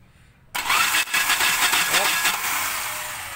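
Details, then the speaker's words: 2000 Ford Lynx that died after leaving the expressway: the starter whirs fast and uneven with no compression rhythm and no firing, and the cam lobe does not turn. Diagnosed as a broken timing belt. "Hindi umiikot, kaya ang ano natin dyan, ang diagnosed result natin dyan, putol ang timing belt."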